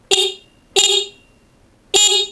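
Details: Honda Vario Techno 110 carburetted scooter, stock horn before replacement with a dual car horn: three short honks with thin, high, tinny tone and clean cutoffs; works, just sounds cheap; normal horn.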